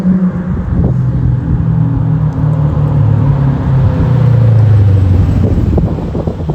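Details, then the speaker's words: Toyota Soarer with 1UZ-FE 4.0-litre quad-cam V8 after an X-pipe and two louvered-core bullet resonators were added to the Black Widow mufflers: a low rumbling exhaust that rises and settles with throttle, deep but with the earlier booming drone gone. Normal exhaust note. "This thing sounds tough. Pretty jealous, to be honest, because my little 5-litre Windsors don't sound this good right now."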